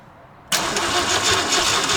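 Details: 1968 Ford LTD, unstarted for over 35 years, with carburetor fuel trouble, cranked during a spark tester check that shows spark: the starter spins it steadily with a harsh whirring rush but it never fires; crank, no start.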